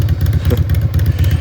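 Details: 2011 Harley-Davidson Road Glide Ultra after rebuild fixing a horrible engine noise with new S&S Cycles parts: loose loping V-twin idle, firm regular low thumps, no clatter or knock; healthy.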